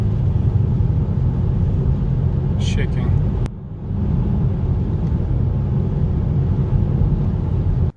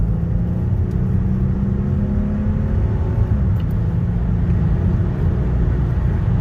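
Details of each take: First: 2010–2015 Mercedes GLK350, 3.5 V6 M272 engine, about 180,000 miles on original spark plugs: a low idle rumble with a faint uneven shake, a rough idle and possible misfire. The owner suspects worn spark plugs. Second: Mercedes GLK350 (3.5L V6 M272) at 180,000 miles, road test after replacing never-changed spark plugs that caused shaking: steady even low rumble with road noise, no stumble or shake, pulling smoothly with no misfire.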